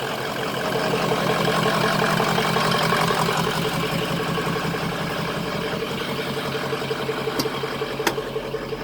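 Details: 2003 Ford F350 Super Duty 6.0 Power Stroke diesel after refitting the missing oil filter housing anti-drainback valve, which had caused 5–10 psi oil pressure (now near 70 psi): steady, even idle clatter with no knocks, misses or rattles; healthy, settled.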